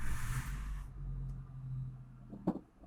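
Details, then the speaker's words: Suzuki APV after clutch disassembly and transmission refit, clutch pedal pressed at idle: steady low hum with no whirring or grinding; the release bearing, previously noisy and rough when the clutch was pressed, is now quiet. "Oke, berhasil, tidak ada suara, berarti release bearing pada penekanan kopling sudah oke."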